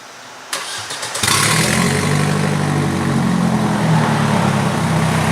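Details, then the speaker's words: 1999 Audi A4 1.8T quattro at 145,000: brief crank, then a loud, raw, rumbling idle from an exhaust leak at the engine-to-front-pipe catalytic converter joint. "This is my new car, Audi, but the muffler isn't connected. The muffler muffles the sound."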